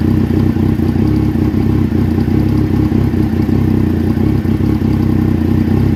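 Idle is uneven, with a lumpy low thrum that pulses and stumbles instead of running smoothly; a rough idle, cause not pinned down.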